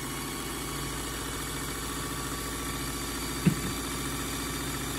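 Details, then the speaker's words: Singer Simple front-load-bobbin sewing machine during service, after Tri-Flow lubricant applied to dry areas: quiet steady whir with an even fast patter, speeding up, no scraping or labouring; running freely. "but there were areas that were dry you heard it um speeding up as as it was going after i put the lubricant on it"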